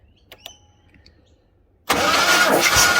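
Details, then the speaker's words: 1976 Jaguar XJ6 Series 2, sat unused 10 years, after cleaning dirty ignition switch connections: starter spins the engine with a loud, even churn, no uneven beat; compression then tested at 125 and 123, consistent with good compression. "so we'll probably see if we can crank it now and maybe give it a compression test okay show the lightning okay so she's cranking fr the ignition"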